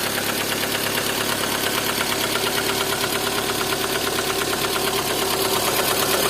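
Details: Lada Kalina engine at steady idle: sharp, fairly regular tapping about two per second over the engine; engine knock, source not pinned down.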